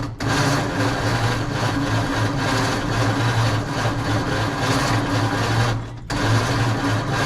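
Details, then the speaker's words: 1948 Ford F5 truck, dormant nearly 30 years, cranked after further distributor timing changes with the choke opened: a rapid, regular knock rides on the starter's churn, a new noise of unknown source. "I don't know what that knocking is That Knocking is a new noise I don't know what that's coming from"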